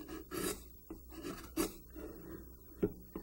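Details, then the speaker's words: Sharp carving tool cut across the grain of a soft pine scrap as a sharpness test: crisp, hissy whistling slices throwing clean little shavings, no tearing or crushing of fibers as a dull tool would cause. "that whistling sound that means the tool is sharp you're getting nice little shavings chafing up here if the tool is dull it'll tear it and crush the fibers"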